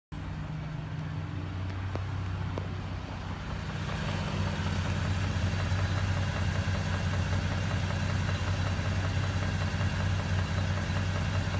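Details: 2017 Raptor: steady low idle rumble with a faint tick repeating about three times a second over it; the source of the engine noise is not identified.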